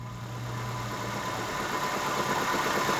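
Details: 2005 Nissan Sentra 1.8 idling with code P0304: slightly uneven, lumpy pulse from a misfire; unplugging coils showed cylinder 4 contributing weakly and others suspect. Misfire at idle.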